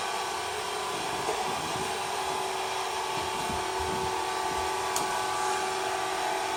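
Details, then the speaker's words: Aldi Easy Home S570 robot vacuum on a test run after teardown and cleaning with the filters clear: a steady high motor whir and even brush swish, the earlier buzzing gone. Running smoothly and normally. "As you guys saw in the video, the robot will try to make its own decision to turn whenever it wants to, but actually it looks like the robot is running smoothly with no issues at all."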